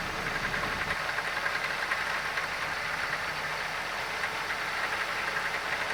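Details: Loose, uneven rattle at idle, roughly three to four beats a second, over a quiet engine, present since purchase and worse over the past week; owner suspects a bad alternator pulley, not confirmed.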